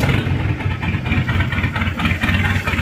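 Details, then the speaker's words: Mitsubishi 4D56T turbo diesel in a Chevrolet K5 Blazer, badly set up after an earlier engine removal, before repair: lumpy, uneven idle with a stumbling beat, white exhaust smoke, no power; misfire from poor injection timing and nozzle setting. "Lur ada pincang asap putih knalpotnya pun juga separuh ini nanti kita akan coba untuk maksimalkan"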